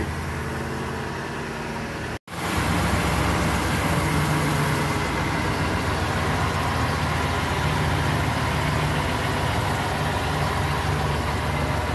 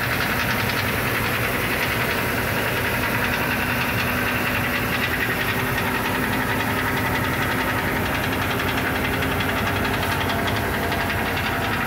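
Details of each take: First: 2006 Ford E-series van (E350/E250) after replacing the rattling right-hand catalytic converter: idle settles into a smooth, steady low rumble with no knocking or rattling. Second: 2006 Ford E350, heard via phone underneath by the exhaust: loud uneven knock like rod knock that comes and goes and turns to rattle; loose substrate in right-hand catalytic converter.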